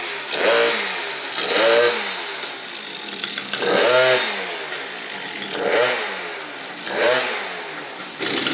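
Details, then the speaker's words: Yamaha BWS 70cc two-stroke scooter, freshly rebuilt, cold weather, first heat cycle: several crisp revs rising and falling cleanly, quick return to idle; sounds healthy. "But sounds good now. I just gotta clean that up, throw a ground on it, and we'll ride it next time."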